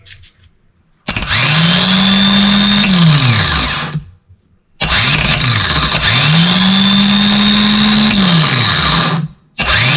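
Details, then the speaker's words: 2.7 kW starter motor from a 2005 Toyota Prado 2.7 L petrol, bench-tested with battery leads and terminal 50 energised. Two clean spin-ups rise to a steady high whine and wind down evenly: normal starter operation. "hasta este punto podemos comprobar que el funcionamiento de nuestro motor de arranque es el correcto"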